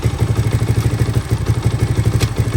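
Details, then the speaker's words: 1983 Honda XR200R after top-end rebuild, first start, still warming up, in neutral: steady even single-cylinder thump about seven pulses a second, no cam chain slap, misses or clatter; normal idle. "quiet, no cam chain slap. Still gonna loosen this up here in a bit once this warms up and just make sure it's adjusted, but I can't hear anything, which is good. Idling smoothly."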